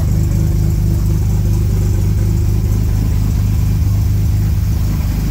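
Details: 1938 SS Jaguar 3½ Litre drophead straight-six under restoration: steady, even low beat with no knocks, misses or ticking over the drone, running smoothly and healthy.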